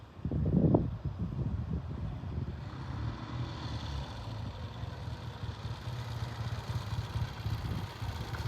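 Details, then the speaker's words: Freshly assembled 1970 Triumph motorcycle, first run on stand then ridden: low, even exhaust rumble after short throttle blip, steady pulling, no knocks or rattles; engine sounds healthy. "well the first roll out of a real pretty green 1970 Triumph that we just put together sounds good on the stand"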